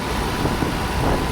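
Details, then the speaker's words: Mercedes W124 M102, first run after converting from KE-Jetronic to Voltarent EFI: a fast, busy idle with a steady low rumble and no misses, idle too high at 1,800 rpm with timing advance high. "I can tell the idle is pretty high. It's at 1,800. Even the advance is high. So, I need to drop it."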